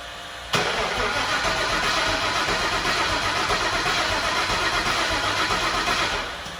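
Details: 2003 Mach 1 Mustang, MMR Stocker engine, twin turbos, 4R70, weak battery, slow to turn over, first start attempt: steady cranking for about six seconds without firing; fuel gauge very low, owner suspects out of fuel, pressure later near 20.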